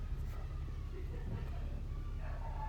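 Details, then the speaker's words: Maruti Swift petrol that had no dashboard lights, horn or remote lock because the battery fuse blew, now starting after a temporary wire bypass of the fuse: low, even rumble with no misses or knocks; normal smooth idle. "And ఇప్పుడు చూడొచ్చు మనకి ignition lights అనేవన్నీ వచ్చినాయి. And vehicle కూడా start అయింది."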